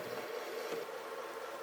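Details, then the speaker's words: Caterpillar automaton servo motor driving a 40:1 right-angle planetary gearbox at 6 RPM: soft, steady mid-pitched whirr with no knocks or grinding, very quiet and pleasant; normal low-speed running. "Very quiet and pleasant."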